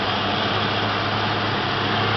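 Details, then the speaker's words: 1988 Ford Mustang GT convertible, 5.0 V8, 4-speed automatic overdrive, about 101,000 miles, mostly original except battery, hood open: steady even rumble, no knocks, ticks or hunting; smooth healthy idle. "everything's original here except for the battery nice and smooth really 100 000 miles you can't beat that"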